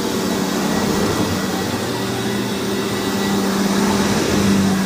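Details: Hoover WindTunnel vacuum test-run after rebuild: loud, steady rushing roar with constant hum underneath, no surging or rattles; motor runs evenly, and this model's motor is known to be loud, so normal.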